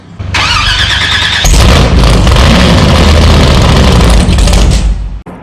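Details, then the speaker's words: Methanol-fuelled supercharged big-block Chevy in custom Kombi van, first start: heavy cranking, loud rough firing for a few seconds on primed fuel, then dies; no fuel reaching engine, pump supposed to be cam-driven; fuel delivery failure. "It just, no fuel was getting there. So you could keep it running off this. So we did hear it run for momentary seconds, and that was it."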